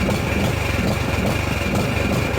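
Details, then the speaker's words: Husqvarna LTH 18538 riding mower after head removal and reassembly, carb bowl still filling: low uneven chugging with lumpy irregular pulses, idling roughly and hunting; later said to sound good. "Still just gonna run like ass."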